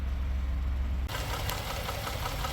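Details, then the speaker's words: 2018 Ford F-150 EcoBoost, low coolant, overheating, overdue oil change, no check engine light: light regular tap at idle keeping time with engine, from one side; owner suspects rocker or lifter; ticking at idle. "So just idling here, you hear that? Tap, tap, tap, tap. It almost sounds like a purge valve, but I don't think so. I think that might be a rocker or a lifter or something like that."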